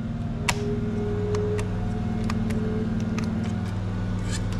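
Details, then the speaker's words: Duromax XP16000IH portable generator as house loads incl. central AC are switched over: steady hum lifts slightly as load comes on, then holds even without hunting or surging, running normally. "all right so now you can see everything's running on the generator right now as we speak the house breaker is still off"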